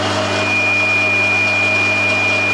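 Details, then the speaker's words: Bosch 2000 HP AXT garden shredder, about 10 years old, running forward (downwards) after replacing faulty unpolarized capacitor; had run in random direction regardless of switch. Steady mains hum with clean high whine, smooth and healthy. "that's fixed it. Yeah, making a different noise going backwards. Yeah, so it was just the capacitor, nothing too complicated actually."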